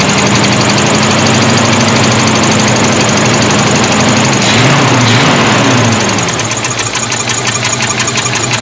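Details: Rough cold idle with fast, even light ticking from the valve train on a V8 that had not run in 17 years, after refilling coolant; a miss is heard, owner suspects an oil-starved lifter and plans to pull the valve cover.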